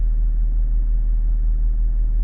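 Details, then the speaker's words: Range Rover L322 air suspension compressor after the 'Air Susp Inactive' fault was cleared, compressor seal judged good: a steady low hum as it comes on again; normal as long as it stops. "Lights are flashing. I've just heard the compressor go off. That took about 20 seconds."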